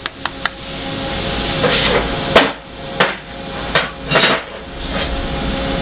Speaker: here's an example of severely bent material you can hear the rattle this part is Warped and distorted